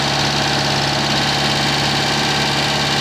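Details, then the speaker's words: Citroen 2CV after engine overhaul, microphone pointed at a leaking exhaust clamp with soot marks: a steady idle with a sharp puffing hiss on each exhaust pulse, exhaust blowing past the clamp. "Yeah, I've got a blow on this clamp here, which if I point a microphone at it, you'll be able to hear."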